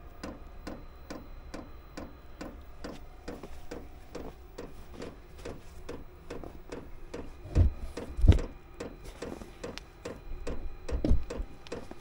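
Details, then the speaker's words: Chinese diesel heater with fuel-related error codes E08/E10 after installation changes, running rich and smoking: dry, steady dosing pump ticking about twice a second, no burner roar building; no ignition from carbon-blocked exhaust. "all right I don't think it's going to I don't think it's going to work because uh what was once looking promising not so much"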